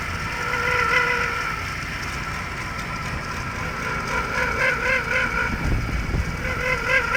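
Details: 2002 Jaguar X-Type 3.0 V6 running, microphone at the engine bay spot of the noise: a warbling chirp pulsing about four times a second over idle; ribbed belt and rollers were replaced with no change. Cause unknown.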